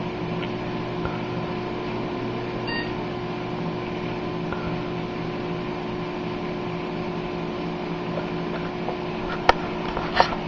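A steady, even fan hum comes up with one short beep near the end and no rattles or stutters; a healthy power-on.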